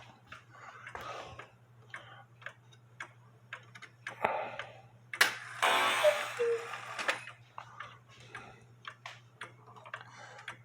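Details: 1880 Alexander Fleig cuckoo clock, hung on wall with eight-day weights after movement repair for cuckoo only working on full minute-hand rotation: light, even ticking about two per second over room noise and handling; running steadily.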